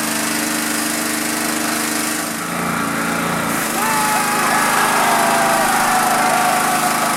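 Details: Honda GX pressure washer that sat 10 years, after carb cleaning, fresh fuel, coil re-gap, magnet cleaning, engine and pump oil changes and pump mounting. A smooth, steady engine buzz with the pump whine rising as pressure builds; it runs normally.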